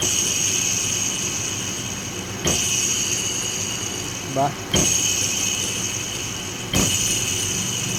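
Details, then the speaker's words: 2015 Nissan Almera, alternator removed and bearing spun: steady high-pitched whine with scraping bursts about every two seconds from worn inner alternator bearing; present regardless of aircon on or off, not greaseable, needs replacement. "matinis na tunog na-create yung bearing ibig sabihin worn out na yung bearing niya yung inner bearing niya yan kaya nag-create na siya ng matinis na tunog"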